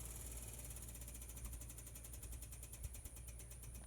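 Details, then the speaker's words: 1968 Morgan Plus 4, Weber carburettor and Fireball XR 2000 ignition, before a cold start after sitting since yesterday: light, regular ticking about six per second over a quiet low rumble as the electric fuel pump primes. "It hadn't been started since yesterday, so maybe you can hear the electric fuel pump ticking away."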